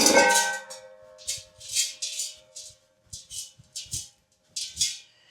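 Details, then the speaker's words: Rear exhaust back box removed from a daily-driven car after a rattle from the rear, shaken by hand: bursts of loose metallic rattling inside with quiet between shakes; something has come loose internally, cause unknown. "So, you can hear something is rattling inside of that. But I don't know what."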